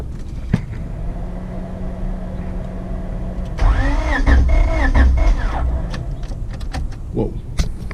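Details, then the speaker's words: Turbo EG hatch engine start after timing belt install, no alternator fitted: short uneven burst, revs surging and wobbling about two seconds, then stumbles and dies; rough running, unadjusted valves suspected, not confirmed. "so i just got off the phone with omar and he was telling me that if the valves aren't adjusted um it'll do exactly what it's doing right now"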